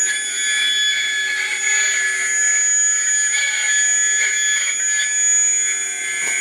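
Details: Atlas launcher gyro rotor on spin test, fed 115 V AC across terminals A and B through a 270 nF capacitor: a loud, steady high-pitched whine with several shrill tones, very noisy at full speed, cause not identified.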